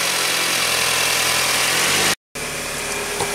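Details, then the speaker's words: 2000 Toyota Camry started and revved right after timing belt replacement and tensioning (plus EGR solenoid repair), to check the earlier noise is gone: smooth, even hum with no knocks, ticks or squeal; runs steadily and sounds a lot better. "it sounds better already rev it up [Music] it's a lot better"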